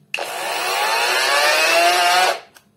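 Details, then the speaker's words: AliExpress cordless angle grinder, new, with its supplied batteries: it whirs up to speed for about two seconds, then abruptly shuts off. The same happens with the second battery, and the batteries may be discharged; the cause is unconfirmed. "вот работает она не так как моя [музыка] разгоняется и отключается при редуктор маленькая здесь судя по всему выполнена по другому"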